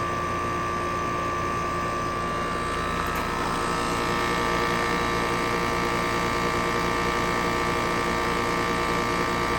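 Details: Trane 5-ton heat pump 4TWR4060G1000A, installed June 2020: loud steady droning hum and throbbing beat from the outdoor unit, audible inside the house and louder than the old unit; installer says normal.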